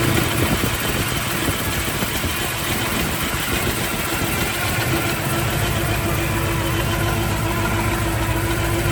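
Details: 1971 Chevrolet Chevelle SS with a rebuilt 396 big block, Holley Sniper fuel injection, headers and new exhaust, 400 Turbo transmission: deep, steady idle with a slightly lumpy but even beat and no knocks or ticks; engine sounds healthy.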